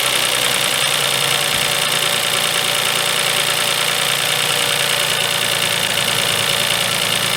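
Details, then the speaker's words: 2004 Toyota Sienna 3.3 L after a crank-no-start repair and replacing an ignition coil boot/connection: steady, even idle with no shake or miss; the ignition wires are still suspected. "not shaking at all nothing maybe the wires have some kind of problem"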